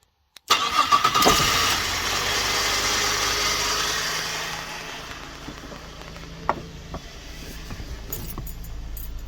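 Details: 2006 Holden Berlina with a bad ECU causing no crank, started through a remote relay bypassing the start relay: a short crank, then it catches and settles into a steady, even idle; it starts cleanly.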